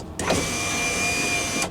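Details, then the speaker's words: Van driver's side power window after replacing the motor, run with the engine on for proper voltage: a steady, fairly loud whir for about a second and a half, stopping cleanly. Louder than the previous motor but working. Normal operation. "so this motor is definitely a lot louder than the other one"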